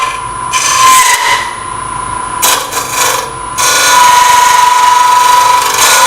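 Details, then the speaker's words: Open-segment oak and bloodwood vessel on lathe at about 1000 rpm, very light cuts: harsh rasping chatter with fast uneven rattle as the segments vibrate; tool chatter. "my those touches are really light sounds bad because the pieces are vibrating"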